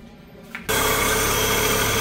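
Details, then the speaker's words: Fiat Fire 1.0 engine, 2010 Uno with automatic tensioner, idling: dense steady whirring bearing noise and tight-belt sound at the front from a worn water pump plus a still-noisy alternator despite replaced bearings; pump and timing kit replaced. "não sei se no vídeo vai ser possível ouvir mas é audível um barulho de rolamento assim como um barulho como se fosse Correia esticada"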